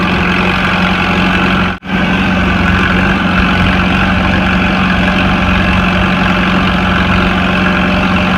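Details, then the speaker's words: Farmall Super C tractor, started after sitting two years: low even idle with no misses, knocks or hunting, running smoothly while warming up and charging the battery. "yeah she should fire right back up although I'm wasn't too high of gear yes all right go so basically what you got to do is you've got a footy game here get pulled and then you gotta let your clutch out and this wheel will lock up sounds really good"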